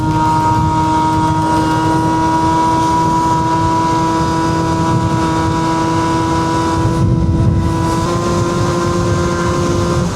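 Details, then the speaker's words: Two-stroke scooter on road test: steady high buzzing drone under wind, revs hang flat, only 60 mph even downhill; engine bogging, owner suspects tuning, plug fouling or dirt in carb. "Yeah, it's struggling. You hear it? Oh my god. I don't know what's going on with it."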